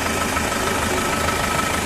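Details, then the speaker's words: Isuzu Traviz diesel idling with the oil filler cap off; owner feared blow-by from oil spurting out. Mechanic judges the splash normal engine vibration, with no oil warning light. Steady, even clatter and no knocks: a healthy, normal idle. "Ano lang yan vibrate lang ng ano eh makina umaandar eh. >> Oo. Natural yun."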